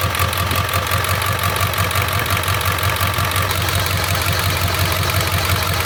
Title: 7.3 Injectors, #5 Fails Contribution Test and slight rough idle, brand new injectors.